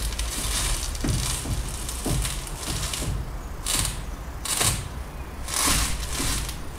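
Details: Peugeot Bipper, engine off, steering wheel turned: repeated dull clicks and creaks about once a second from the front left side.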